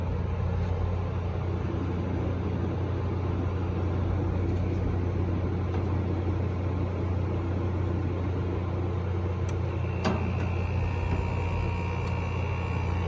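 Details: Midea 5000 BTU window air conditioner from 2021 with a GMCC compressor and Welling fan motor, started on the lowest setting in a hot garage: steady, even low hum with no knocks, rattles or surges; compressor running normally.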